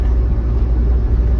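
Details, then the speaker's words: Old Ford F100 junkyard pickup with all-wheel drum brakes, idling during first drive after brake repair: deep, even low rumble with a steady beat, no knocks or misses; the V8 idles smoothly and healthy. "oh man dude this thing's a cruiser man I mean Run's great we're [Music] idling this is a nice vehicle"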